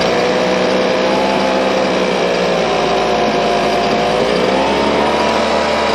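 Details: Husqvarna 125BV leaf blower after clearing a blocked fuel passage in the carb and fitting a new filter. The small two-stroke holds a smooth, even high-pitched buzz with no stumbles or surging: normal running.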